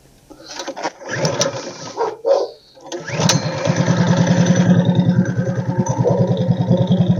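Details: Tillotson 212 mini-bike engine after carb repair, started on choke: a few pulls, then the single catches and settles into a steady choked putter, firing evenly, running fine.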